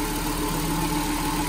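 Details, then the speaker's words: 2010 Nissan Grand Livina that had a rough noise after flood water: after the repair, idling with the hood open, a smooth, even hum with no grinding or rattles; normal. "Suara mobil normal kembali, tidak ada bunyi kasar-kasar lagi."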